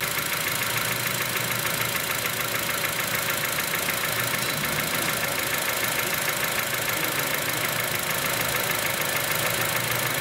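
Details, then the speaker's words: 2006 Honda Element 2.4L at idle, heard through an electronic stethoscope: sharp, regular knock, about three per second, loudest in the block, louder when cylinder two is shorted; internal bottom-end knock, cause not yet found, oil pan gasket apparently recently changed. "I got out our electronic stethoscope listen to the engine this is the top end in the bottom end so you read the loudest in the block"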